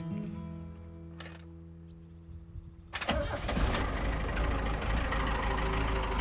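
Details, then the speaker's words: Camper van diesel "Helix" with a weak battery, morning start after waiting for the oil to warm: music, then a short crank before the engine catches and settles into an even idle. A good start. "okay that's uh that's a good start wait for the baby to warm up"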